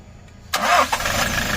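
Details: Hino 200 series diesel truck (1GD/2GD engine) that would not start after being parked; after scanning and clearing fault codes it cranks quickly, catches cleanly with a short flare and settles into a steady, even idle; normal start.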